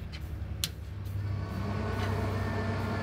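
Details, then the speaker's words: Traeger Pro 34 pellet grill with an empty burn pot, switched on: low motor hum, then a strained electrical whine and grinding as the jammed auger screw fails to turn. "you can hear it grind. And let's show you back. So if you look at that auger screw right here, that should turn for the first 30 seconds that you turn it on. And you can hear it. You can hear that electrical whine. So it's definitely an auger jam."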